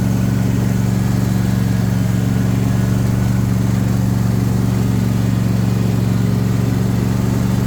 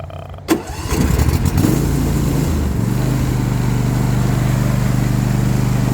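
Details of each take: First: JD S130 mower, after reinstalling the blades (spindle noise was suspected): a steady, even engine drone with a smooth low hum and no squeal or rattle from the pulleys. The earlier noise is gone and it runs healthy. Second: Nearly new John Deere S130 mower, first startup diagnosis; cranks and catches, then steady idle with a constant thin tone over it. Deck noise and pulley noise heard with the clutch disengaged. Idler pulley bearing noise.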